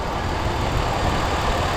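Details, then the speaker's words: Steady, even petrol engine idle recorded close up at the injectors after replacing injector O-rings; running smooth, no misfire, no air-leak hiss heard anymore. "all right good to go running smooth no misfire"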